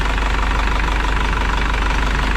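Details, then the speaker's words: 2000 Isuzu NPR turbo diesel, abandoned truck restarted after a year with new batteries, nothing leaking: steady, even diesel idle with a smooth low rumble and no knocks, misses or rattles; normal idle. "like i said the motor sounds really good i think we can actually rev it up right here"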